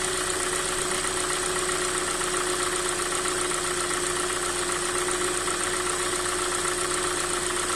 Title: Стук двигателя 2.0 G4NA Hyundai i40 2016г. на холодную.